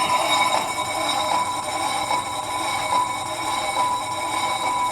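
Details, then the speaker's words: 2004 Ford Explorer Sport Trac front wheel spun by hand while jacked up, after replacing a seized-bearing spindle and rotor with a junkyard assembly: even airy whir with light rhythmic brush of brake pads; bearing runs smooth, no grind. "The noise you're going to hear is just the brake pads touching the caliper. But let's go ahead and give this a spin like the Wheel of Fortune."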